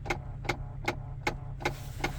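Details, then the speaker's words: CFMOTO CForce ATV idling with sharp, even clicks about two and a half a second; owner says a blend door actuator is sticking in the dash. "gotta blend I got a blender where actuator's sticking in the dash I gotta figure out which one it is"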